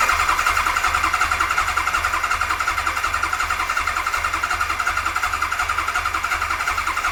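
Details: 1992 Kawasaki KZ1000P, first start attempt after a fresh rebuild and modification: the starter churns steadily at about two to three beats a second with no catch or firing. Cranks but won't start.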